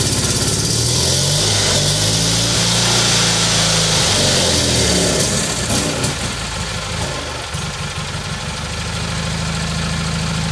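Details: Kohler Magnum M18 single-cylinder from a Cub Cadet 1882, rebuilt, first start in over two years on a test stand, target about 1400 rpm: steady but slightly lumpy, uneven beat as revs sag; running a little rich, rich bog, carb needs tuning.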